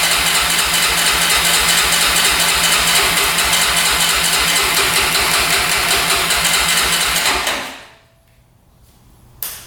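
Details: 2004 Honda 400EX single-cylinder quad after carb clean and valves adjusted to spec, compression up: loud rough chuffing about three beats a second, then falls away and dies; bogs and stalls, cause unconfirmed.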